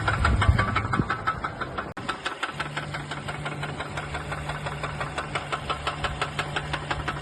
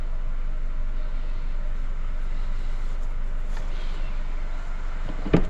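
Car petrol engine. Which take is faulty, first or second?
first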